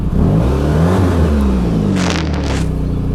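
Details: 1991 Saab 9000 Classic Turbo CC, after five years stored, rear muffler fell off on first drive: deep booming drone swelling with each rev, far too loud; loud exhaust from missing rear muffler.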